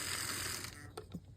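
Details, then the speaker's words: Vintage HO Mikado steam locomotive from an old collection, running as engine only without tender pickups: thin, fast whirring gear chatter fading as it slows, little noisy with a slight lean but runs. Noisy gear drive. "So hopefully it'll just run as just the engine, and it does. Little noisy, and it's sort of got a weird kind of lean to it almost, but definitely a runner."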